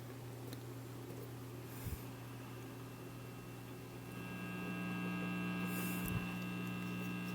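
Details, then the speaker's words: RCA 66X1 tube radio after capacitor replacement, plugged straight into 125 V isolated supply instead of variac: only steady low mains hum, no stations or static, faint higher tone later; no reception, cause unknown. "no Radio Action at all very weird and I don't have a way of judging the current so I'm going to leave it in there long"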